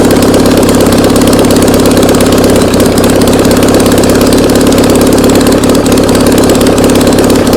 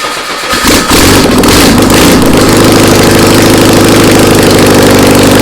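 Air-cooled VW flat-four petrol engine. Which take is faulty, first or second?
second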